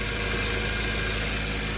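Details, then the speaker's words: 2008 Toyota Corolla LE, 114k miles, after water pump replacement: smooth, even idle with constant hum and no grinding or scraping from the front of the engine; sounds healthy. Normal idle. "So, he sounds great."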